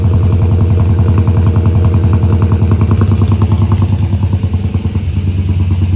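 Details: Holden VR Clubsport 304 V8, dormant for years after heavy front impact, first start after oil pump cleaned and packed with Vaseline for oil pressure: deep lumpy burble settling to steady even idle, no knocking or ticking; healthy.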